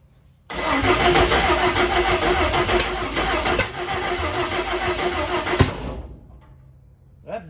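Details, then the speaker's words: Cab-over van conversion engine, first start attempt on open manifold with a little fuel: rough, uneven sputtering and popping that never catches; owner suspected timing and firing order. "sounds like a timey issue all right let me go back through and uh check my firing order and make sure my wires are all on the same place and then we'll go from there"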